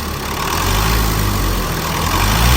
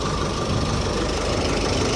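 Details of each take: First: Chevrolet Colorado Z71 2.5 diesel, 5-speed manual, idling after running a while: rough uneven knocking with slight surge, faint internal rap from inside the engine attributed to faulty injectors. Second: Chevrolet Colorado Z71 2.5 diesel, 5-speed manual, after repair of engine shaking and internal noise, road-tested about an hour: even diesel clatter at steady idle, no misses, shakes or speed rises; normal idle.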